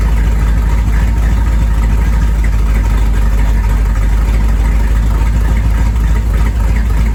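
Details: 1973 Corvette, first drive in 5 years: deep, even V8 burble at steady idle, firing smooth with no knocks or ticks; sounds healthy.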